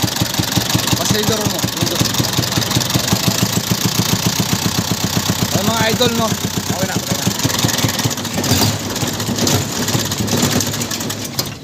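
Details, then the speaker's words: Isuzu 4BC2 diesel with weak pulling and misfiring, idling before any tune-up. Uneven, lumpy chatter with a stumbling beat. The mechanic judges it doesn't need a tune-up; the rough running comes from a leak. "mga idol, hindi kailangan tune up nito mga idol, no. May problema mga idol, singaw."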